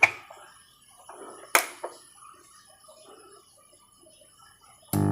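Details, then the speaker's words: Power amplifier build using SOC 506 kit after fitting a balanced input kit: a few clicks, then a steady low mains hum with buzzy edge at constant level; ground loop through the input supply, regrounding unsuccessful. "Nah, ini masih kondisi dengung."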